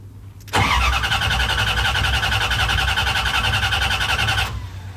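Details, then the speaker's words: Project engine after fitting the missing fuel pump fuse: about four seconds of steady rhythmic cranking that never fires; fuel and oil pressure now present; owner suspects clogged injectors and plans to clean them; crank, no start. "so I still have a problem because it's supposed to go off when it cranks."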